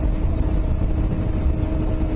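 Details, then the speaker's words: Yamaha Ténéré 700 ridden two-up at cruising speed on tarmac: steady droning hum with faint higher whine over road roar; knobby tyres noisy at speed, rider checked they weren't flat, pressures not yet checked. "they're pretty noisy when you get up to speed on the tar."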